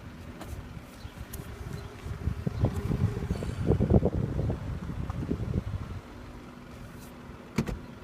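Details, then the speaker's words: Car with new brakes, rotors and sway bars: irregular dull pops and clunks in a cluster each time the brakes are pressed while creeping at low speed; source of the popping not identified. "Every time I press on the brakes, I'm getting a popping sound."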